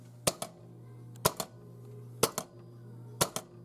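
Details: 1987 Williams F-14 Tomcat pinball machine during coil test: sharp paired clacks about once a second, an eject coil firing cleanly and working normally.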